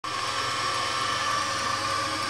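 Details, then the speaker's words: Homemade drill press electric motor after rebuild, with bearings (6201-2RS) refitted and washed: steady hum with a strong tone near 1 kHz, the armature turning a little tight; owner suspects the bearings were slightly overtightened by a too-thick washer. "Двигатель крутиться. Якір трохи туговато робить, бо підшипники, мабуть, слегка перетягнуті."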